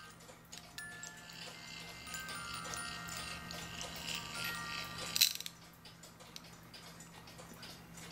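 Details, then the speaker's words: Regula A-25-85 movement in a 1985 Black Forest cuckoo clock with music, under repair: thin, faint, uneven plucked notes with some tones dropping out, as the music box drum pins are only just catching the comb teeth. "So yeah, these teeth are just barely hitting."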